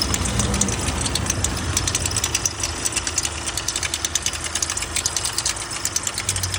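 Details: VW Amarok diesel idling with a harsh, uneven metallic clatter and sharp ticks after the high-pressure fuel pump burst, leaking diesel everywhere and smoking.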